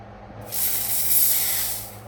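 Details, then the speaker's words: Toyota Hilux 2018 diesel with code P0301, cylinder 1 misfire: on test, the injector gives a crisp, even hiss of fine spray for about 1.5 seconds with no spitting; it is spraying properly. "فتحه من هنا يعني هنا شغال مزبوط"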